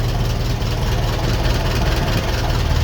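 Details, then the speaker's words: 1951 Ferguson tractor after thermostat housing replacement, idling on hand throttle: smooth, even low idle with a steady beat, no knocks or misses; well-running, no leaks. "Yeah, that is a really well running tractor. Really happy with that."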